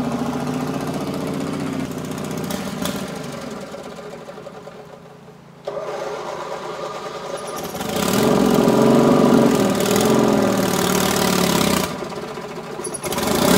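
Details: Racing Panzer small single-cylinder engine after carburetor cleaning and fuel pump install, tested outside: fires, dips, picks back up and holds a steady buzzing rev of about four beats a second; engine running.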